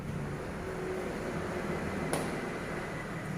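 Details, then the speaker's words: Honda Scoopy seat latch after a fix that wraps rubber around the latch, seat locked, then the seat button pressed: one sharp click-pop over a quiet hum as the seat springs open on its own, normal release. "ini dia sudah kita dengar tadi joknya terpental dan langsung joknya terbuka"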